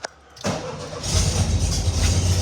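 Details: 1972 VW Beetle air-cooled engine after hard start relay installed to cure hard starting: quick starter whir, catches within a second and settles into a steady even low idle; healthy start.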